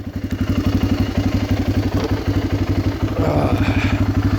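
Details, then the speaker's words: 2004 Polaris Predator 500 2WD single in neutral: even thumping about four beats a second, steady and clean, no knock or rattle; owner says it starts first turn even cold and doesn't smoke. "Always starts pretty much first turn, even when it's cold. Really solid little wheeler."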